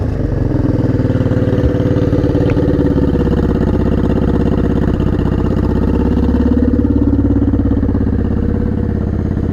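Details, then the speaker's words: Honda Shadow 500 V-twin, first run after three or four years in pieces, both exhaust pipes warm and the water pump working: steady even lope at idle with both cylinders firing cleanly. Normal idle. "Oh, it's good to see this thing back to life after so long."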